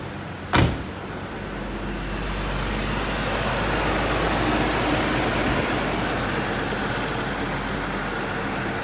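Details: 2001 BMW 325i that only clicked on start due to a weak battery, now jump-started: sharp click, then a steady, even idle with no misses or knocks; runs fine.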